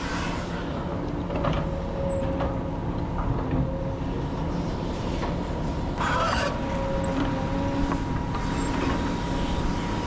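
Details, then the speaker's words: Excavator loading 30-ton haul trucks: high intermittent squealing over diesel and loading rumble as bucket works; dry bucket pin that won't take grease, needs pulling soon before serious damage. "we got a dry pin that we're gonna have to take out of that bucket. It won't take grease, but we gotta do it soon because it sure enough is squealing."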